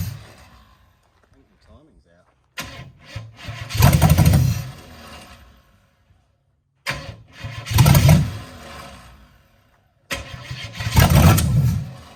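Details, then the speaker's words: HZ one-tonner engine, first start in about six years; three crank attempts each catch and run briefly, dying within seconds once key leaves start position; known gremlin, fix planned with a hot wire from battery positive. "ah that's because we've got that gremlin so before i pull this car down unless i held the key on the start position it wouldn't continue firing"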